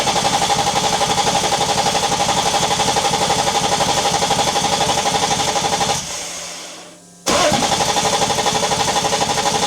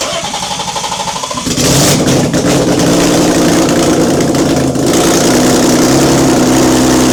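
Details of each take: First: BMW E30, first start attempt after 6 years, engine just installed with rewired ECU loom, fuel pump confirmed working: starter churns steadily about four beats a second, pauses, cranks again, never fires. Crank no start. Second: BMW E30 first start in 6 years after an engine swap, fuel pump confirmed working: starter cranks briefly, engine catches and settles into a steady even idle with light throttle blips, running cleanly.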